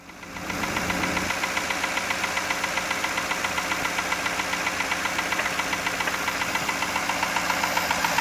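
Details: 1999 Jaguar XJ8 with 122k miles: a loud, sharp, steady bottom-end knock at idle, about 220 per minute. The owner suspects a spun rod bearing from low oil, caused by a valve cover leak and oil consumption; the oil was changed under 1k miles earlier.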